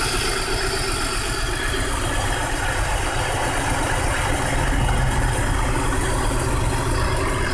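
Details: 1999 BMW 528i idling rough and shaking with uneven low thumps despite new spark plugs, ignition coils, oil pressure regulator, water pump and thermostat and a cleaned idle control valve; codes P0301, P0302, P0303, P0305, P0306, P0505, P1510; misfire cause unknown.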